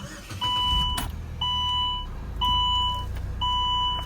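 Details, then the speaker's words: Saab 9-3 SportCombi 2.0T, former parts/delivery car, starts and settles into a low, even idle under a once-a-second two-tone chime with the air running; temperature gauge holds mid-scale, nothing abnormal. "Starts up, air fires up. Runs good. Temperature stays right there in the middle."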